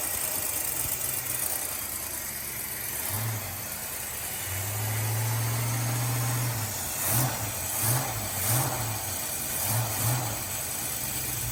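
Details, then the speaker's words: 1984 Foxbody Mustang 5.0 V8 just after an intake and carburetor install, distributor moving around; low, uneven idle with soft pops and puffs in the exhaust. Idle set too low suspected, not confirmed. "Dang! definitely runs way smoother already except for that pop and farting that sounds like we've got to turn up the idol a bit"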